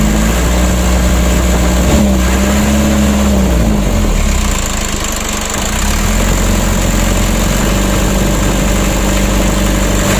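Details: Mitsubishi 120 PS Ragasa diesel after fixing fuel mixing into engine oil (injection pump plunger and nozzles serviced) and refilling with 9 L fresh oil, first minute after start: steady even idle, firm low thrum, no knocking or misfire; normal idle.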